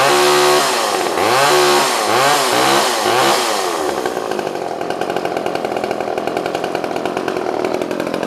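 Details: Old pre-1990s two-stroke chainsaw restarted without warm-up: fires, revs up and down a few times, then settles into a crisp, even idle; starts and runs cleanly.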